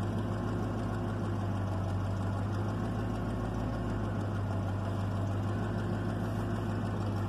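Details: 1996 Chevrolet Caprice after passkey bypass module install (50 Hz fuel enable signal to PCM), no key fault: steady, even low idle, no misses or stumbles, constant rumble; normal idle.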